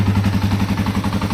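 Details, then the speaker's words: 2005 Yamaha TW200 single, reassembled after valve adjustment and an exhaust fix that removed a rattle: even, steady idle putter with no exhaust rattle or ticking; a healthy, smooth idle. "Engine sounds perfect. Listen how quiet that exhaust is, man. Oh yeah, I got rid of all that rattling."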